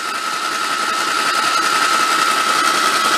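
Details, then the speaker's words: 1953 MG TD parked 45 years, cranked on a lift after oil was put in the plug holes, valve cover off to check oil flow: steady starter whir with an even rhythm and no valve-gear clacking. Cranking normally, with oil reaching the top. "all right let's see what she does sounds good no clacking like to see if we get some oil coming up there"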